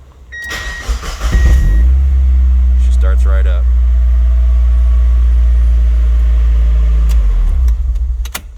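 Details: 1998 Mazda Miata after repair of crank-no-start: engine fuse kept blowing from O2 sensor wiring shorted to ground, worn through on driveline and melted on exhaust; wires repaired, new fuse. Short crank, catches at once, steady even idle, no misses; normal.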